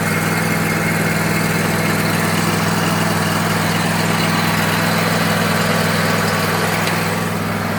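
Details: Bradley mower after replacing broken belt-tightening mechanism with original part (about an inch of play), blades engaged: steady even engine drone, no belt squeal, slap or chirp; normal running.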